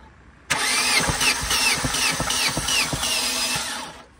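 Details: Opel Corsa A: quick uneven starter chugging, about three turns a second, for three seconds, then stops without firing; cranks but won't start, cause suspected, not confirmed.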